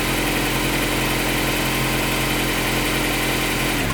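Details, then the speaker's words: Honda Prelude VTi 5th gen H22A5 2.2 VTEC, retry after refitting the timing belt, balance belt idler removed: steady hiss and light rubbing at idle, then shut off; belt walks toward the idler and overhangs the camshaft pulley by a few millimetres. "La courroie vient se déplacer vers le galet d'équilibrage qui est ici démonté pour se caler à son extrémité. Côté poulie d'arbre à cames, elle dépasse même de quelques millimètres."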